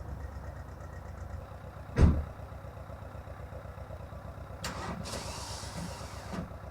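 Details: VW Golf mk1 1.9 TD turbo diesel, first cold start after 5 months winter storage: steady rhythmic cranking about two seconds, bad starter sound, then fires with a thump into a rough, uneven cold idle.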